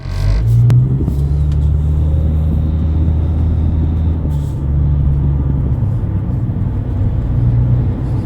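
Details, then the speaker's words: 2009 Nissan Altima 2.5 CVT driver's front wheel bearing: loud steady low growling hum under road noise while cruising at about forty to sixty mph; bearing and hub assembly replaced. "you might have to replace the wheel bearing if you're hearing like a real loud growling noise in your car this one was making a really loud noise at about forty to sixty miles an hour"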